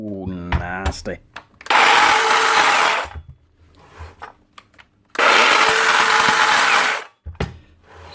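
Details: DeWalt DCS577 60V Max (54V) circular saw running unloaded: loud, rough grinding roar from a collapsed top armature bearing, blamed on cheap bearings; replacing the bearing fixes it if the motor still runs.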